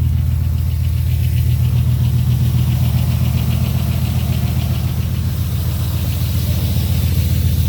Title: 2002 Dodge Ram 4.7 with nv3500 5-speed manual trans. Clattering noise when running from a cold start